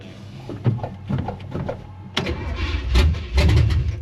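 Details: 1967 Chevy Impala small-block V8 cranked with the throttle wide open; it needed heavy pedal bumping to fire last time: slow, uneven cranking chugs building into ragged firing bursts until it finally catches; hard starting, cause unconfirmed.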